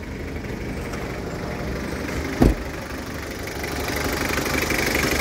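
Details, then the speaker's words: 2012 Mazda BT-50 with 2.5 TDI diesel (as in the Ford Ranger), manual injection pump and conventional injectors, 135,000 km, turbo working: steady idle with even, light clatter and no misfire or stumble. Normal diesel idle. "sangat garing mesin sangat mantap pemirsa tooksare tidak pincang Turbo juga bekerja"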